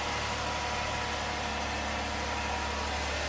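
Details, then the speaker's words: 2009 Chevrolet Impala bought from Copart, first start on its reconditioned, boost-charged battery: a steady, even idle with a smooth low hum and no knocks, misses or rattles; the engine runs well. "Well, it's about time we see if this battery's any good. I got dingage. Man, she runs good too."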